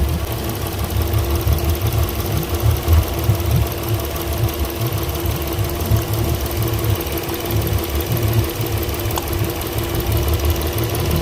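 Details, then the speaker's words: Port Yamaha outboard on a Pursuit 385 after swapping coil and plug from cylinder five: lumpy idle with irregular thumps, still running rough; plug and coil ruled out, injector suspected. "all right so she's still running rough"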